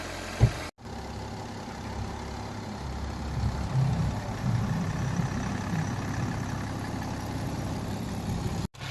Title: 真正的家用车引擎声 | 二手车验车必听发动机是否有异响 the engine sound of normal car